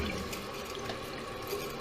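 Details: Toilet after fill valve replacement, flushed: steady rushing water that does not taper off; the flapper is held open by a snagged chain.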